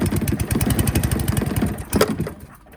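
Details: Free scrap Qualcast 35s mower, single-cylinder, started with choke on, fuel on and the faulty throttle set to on. Fires with rapid, even pops for about two seconds, then trails away; owner thinks it may need full throttle.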